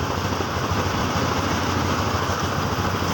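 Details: Yamaha Xeon scooter after replacing burnt stator with a Jupiter MX stator and splicing wiring, new battery: steady low putter with no misses keeps running with battery disconnected; charging now working, normal idle.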